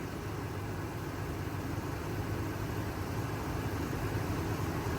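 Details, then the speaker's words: Supercharged Range Rover bought from Copart, hood open at idle: low, even, quiet hum with no ticks or knocks, very smooth; a faint hiss, possibly a vacuum leak, is suspected. "smooth is butter i mean you could almost balance a coin on here like a v12 no ticks no knocks"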